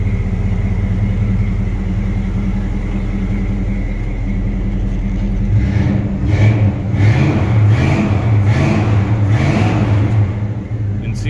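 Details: 1972 Chevy Camaro split bumper: steady V8 idle, then several quick throttle blips with revs rising and dropping cleanly, no stumble or misfire; healthy running engine.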